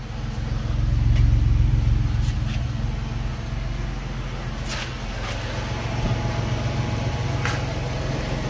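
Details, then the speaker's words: Early-2000s Pontiac Montana van, 3.4 V6, first start after aftermarket muffler install fixing an exhaust leak: brief rev then smooth even idle, soft exhaust note, no puffing or ticking leaks; normal idle. "not a single leak sounding good looking good there you go easy as that easy as pie"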